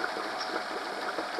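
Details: Honda 8 hp four-stroke outboard after carb cleaning and idle adjustment for ethanol fuel problems, run in a bucket: smooth steady idle about 1530–1580 rpm, no misses or knocks, holding speed on its own.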